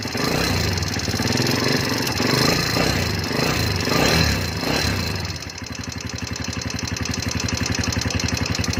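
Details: Motorcycle idling with a light, fairly quick ticking over the exhaust beat, possibly loose valve tappets; engine ticking noise that a proper tune-up is said to quiet.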